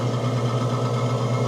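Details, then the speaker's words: Manitowoc undercounter ice machine with no ice and red wrench fault; loud rough hum with rapid pulsing throb, one condenser fan not turning properly; failing fan motor causing high head pressure compressor shutoff, fan to be replaced. "Immediately after I turned it on and the unit started, I could tell that it's making a loud noise as you can hear. The One of the fans are not spinning."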